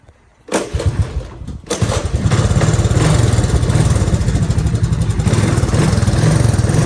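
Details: Honda ATC200S barn-find three-wheeler: catches after a short cough and settles into a deep, loud, even single-cylinder thump with no misses; running healthy.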